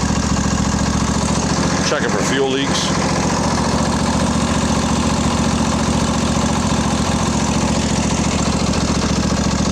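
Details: Craftsman LT1000 20hp riding mower after carburetor repair, with a working fuel solenoid, primed carb and new plugs, started without choke: a steady, even single-cylinder chug of about 3.5 beats a second with no misses; normal idle.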